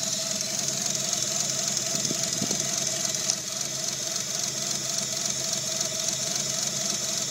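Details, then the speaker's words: Mitsubishi 3G Eclipse 6G75 V6 with cylinder 4 misfire, code P0304, check engine light on; plugs, wires, cap and rotor already replaced, owner suspects bad PCM circuit or pinched injector wire; uneven loping beat, miss most prominent around 2000 rpm. "so you can hear the obvious miss it's most prominent right there 2000 rpm and of course now the check engine light is on when you pull the check engine code it's a p0304"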